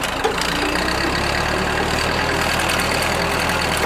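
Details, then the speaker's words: Rebuilt Ford tractor just started, auxiliary in standard range, idling without throttle: even, steady idle with smooth low beat, strong, no sputtering or backfiring as before the rebuild. "as you can see without even giving it gas the motor is nice and strong"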